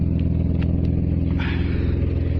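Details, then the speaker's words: BMW E36 with a 2.5 six-cylinder and manual gearbox: loud, deep burble at idle with light blips, raspy and uneven from the rear. The rear muffler is leaking. Exhaust muffler leak. "pretty much the goal of today well today's video is the muffler decided that it wanted to have a leak if you can hear me over the exhaust so"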